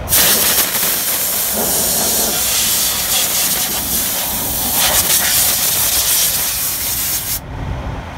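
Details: Kenworth T680 with Cummins engine, busted fuel line, fitting O-ring suspected: loud, continuous spraying hiss for about seven seconds, then drops away; leaking pressurised fuel line.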